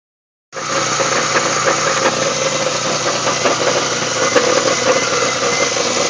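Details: GM 3800 V6 in a GTP at idle: bright, metallic, fairly irregular rattle over the running note; nasty rattling noise, source unclear.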